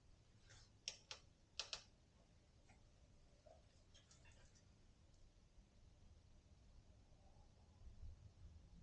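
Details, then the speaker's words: Orbea Rise mountain bike with about 200 miles: sharp creaking clicks under load from the top linkage/frame bearing. The driver-side linkage was over-torqued, binding the bearings; releasing that pressure stopped the creak. "yep now i'm really pulling and pushing harder just to make that sound okay at least i know where it's coming from"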